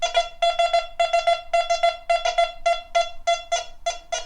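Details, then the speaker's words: Quest Q35 multi-frequency metal detector in 4-tone field mode, low sensitivity: big penny target gives mid-pitched tones pulsing in short groups, modulated, fading softly with a whisper rather than stopping bluntly; solid target response. "and it has got modulation on it. It just doesn't stop bluntly. You can hear a whisper there."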